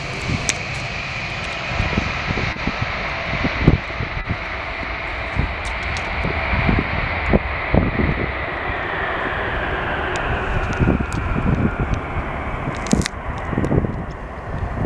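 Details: Boeing 707 compressor stall and flameout: jet roar with sharp irregular bangs and a whine sinking in pitch as the engine stalls.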